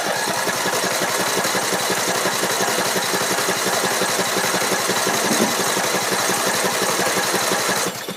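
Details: Troy-Bilt Pony 42-inch riding mower, build date 06-07, Briggs & Stratton I/C 17.5 hp, freshly charged battery; steady starter whirr about eight seconds with no firing pulses; cranks but won't start, unsure whether fuel or spark.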